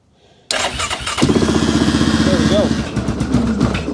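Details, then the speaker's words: 2002 Yamaha Grizzly 660 ATV, carbureted single cylinder, first start after sitting eight years, still cold: brief crank then catches at once into a steady quick putter, idle slightly low; starts and runs cleanly. "actually sounds pretty darn good check my cooling out"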